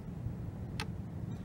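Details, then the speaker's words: Olympus BH-2 compound microscope: one crisp, short click over a quiet background as the objective lens turret snaps into its detent, showing the lens is clipped correctly into position. "there's actually a clicking sound when it's in place"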